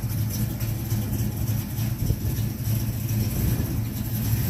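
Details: 1970 Mach 1 clone V8 after a Holley 600 carburetor gasket rebuild, idling steadily and evenly with no misses, stumbles or hunting; running right.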